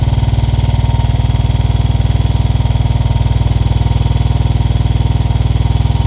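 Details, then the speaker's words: Royal Enfield Bullet Standard 500 UCE, UCD33 carburettor, even single-cylinder thump about four beats a second; idle rising as the mixture screw is turned anticlockwise (richer) one, two turns. "so now I'm starting to screw you see it is rising so this is one turn it is rising two turn it is still"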